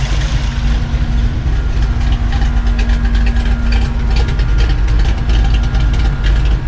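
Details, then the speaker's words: 1986 Chevrolet C10, Gen 6 454 big-block V8, six months after installing COMP roller rocker arms to fix valve tapping: steady deep idle with even lope, light valvetrain ticking, no misses or knocks; normal idle. "so for a six-month update the truck's running great no issues"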